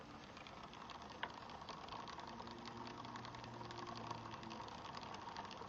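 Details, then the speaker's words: 2018 RadRover electric fat bike during rear derailleur adjustment, in second-highest gear: fast, light ticking rasp as the chain rubs the highest (adjacent) rear cog; limit screw to be backed off. "you could kind of hear the chain rubbing against the highest gear"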